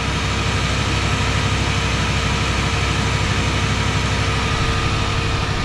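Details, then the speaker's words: Oldsmobile just after cold start, warming up: steady even low rumble with no knocks, misses or hunting, wind noise over it; healthy idle. "probably a lot of wind noise now but sounds good"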